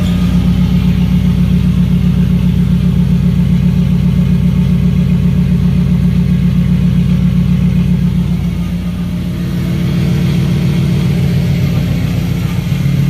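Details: BMW E92 M3 turbo build, start after clearing all 32 fault codes: deep, even V8 burble at idle with a brief dip and recovery, no misfire or knock; normal idle, owner notes a loud scavenge pump screech.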